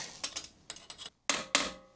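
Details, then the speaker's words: Kawasaki Versys 1000 SE steering head bearing replacement: sharp hammer blows on the bearing race, the last strikes turning bright and metallic as the race bottoms fully in the head with grease pushed out; race fully seated. "It's very metallic, which means that the bearing drive ring, whatever you want to call it, is in place."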